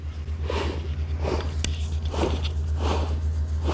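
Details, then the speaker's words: Removed Maserati differential spun by hand indoors at under 100 rpm and compared with a normal used unit. A rasping growl swells once per turn over a low hum; it needs replacing. "자, 소리 차이가 확연하게 납니다. 그렇기 때문에 얘는 문제가 있는 거, 얘는 정상적인 거."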